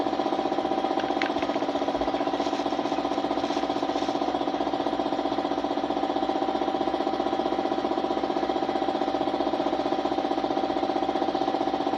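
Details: Suzuki Smash motorcycle, small single-cylinder idling with a steady loping stumble about four times a second; hard starting, misfiring (palyado), stalling, hiccuping, running rough, cause not yet found.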